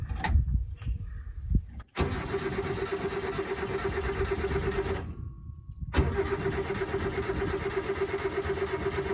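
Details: Subaru Sambar kei truck, won't start after winter storage, low fuel about a gallon and a half; steady starter whir without firing, cranks but no start; fuel pump suspected.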